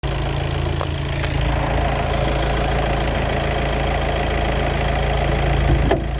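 Idling engine with a heavy, uneven low rumble and chatter underneath, consistent with noise from the gearbox clutch pack.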